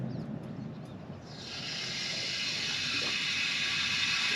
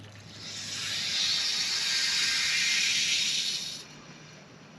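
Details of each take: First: Broken copper water main just repaired with a clamped compression fitting, water turned back on with an indoor faucet open to bleed the lot of air in the line: steady high hiss of water and air rushing through the refilled pipe. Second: Repaired broken copper water main, compression fitting with rubber bushing, water turned back on with an indoor faucet open to bleed air: sharp hiss of air and water for about four seconds, then quiet; joint holding, no leak.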